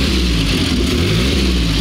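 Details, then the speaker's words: Belly Tank Car engine at idle just after a fuel-pump-primed start with a little choke and spark slightly retarded: low, steady, even idle with no knocks or ticks over the exhaust; smooth, no extra engine noise, cooling fan running. "Smooth as it gets. No extra engine noise. It'll sit there and idle just all day."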